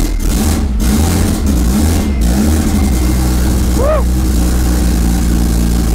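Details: Honda Civic wagon with a turbo D16Z6 Vitara build, first start after about two years sitting: lumpy, uneven, stumbling idle because the downloaded base map had about zero degrees idle timing. The owner then set about 21–23 degrees, and it ran better.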